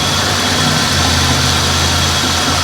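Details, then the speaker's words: Buick LeSabre misfire test: rough, shaky idle with uneven low thrum as each ignition coil is touched; one coil causes no change, pointing to a bad coil, but swapping coils didn't fix it, so the coil module is suspected. "now the it starts running shittier on that one on that one when you touch this one nothing happen happens so that means that's a bad"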